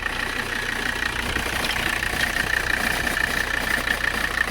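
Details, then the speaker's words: 1985 Mercedes 300CD diesel idling while warming up in cold weather, temperature creeping up. Diesel clatter with a thin, steady, high chirp on top; the owner thinks something may be wrong with a pulley, cause unconfirmed. "think something might be wrong with that pulley"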